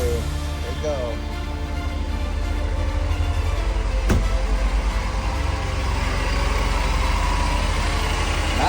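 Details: 1989 Mercedes 300E M103 engine, after clearing a clogged exhaust and catalytic converter (previous crank-no-start with new injectors, fuel pump and filter), starts and idles evenly with no misses, pops or chuffing: normal idle.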